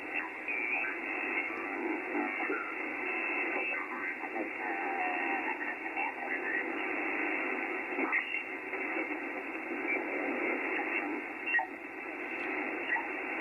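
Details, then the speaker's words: HF receiver on 80 meters with a non-resonant antenna, no preamp and no attenuation, earthing removed: steady, soft band-limited hiss with no crackle, buzz or pulsing; a relatively quiet, clean band background. "again relatively quiet"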